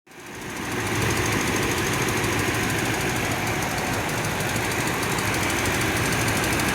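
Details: 2007 Toyota Tundra 5.7L V8 at about 170,000 miles, warm idle: rough busy clatter with inconsistent ticking that settles to follow rpm, loudest on driver's side after warm-up; source not pinned down.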